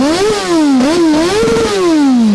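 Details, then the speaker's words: Triumph TT600 600cc sport bike, bought as a non-runner and restored, revving to about 14,000 rpm: clean smooth scream rising and falling with throttle, no knocks or rattles; healthy engine. "But it's just so nice to hear it running well. See, I gotta be honest, the way it revs as well, up to like 14,000 RPM, it absolutely screams."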